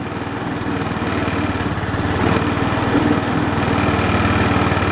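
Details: Linhai Aeolus 260 scooter, first run after fixing a no-crank and no-spark fault, started with starting fluid and fresh gas: even, steady putter at idle with regular firing and no misses or knocks.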